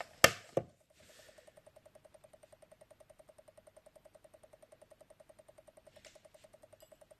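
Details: Commodore Amiga 500 4.5 A power supply, no load, after parts replaced: two sharp switch clicks, then a fast, even ticking of several ticks a second on power-up; cause not found.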